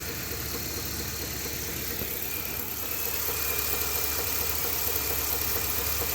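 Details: 2020 Ford F250 Tremor 7.3L after dealer oil pump replacement (SSM51330), night before engine seized: steady idle with faint regular knock about two per second under engine hum; internal knock, cause unknown.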